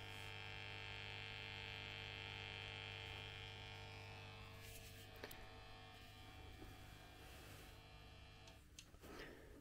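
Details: Hiwatt 100R amp warmed up, rhythm channel turned flat out, no playing, before swapping in a new 12AX7: steady mains-pitch hum under constant hiss; a worn, noisy preamp valve is the culprit.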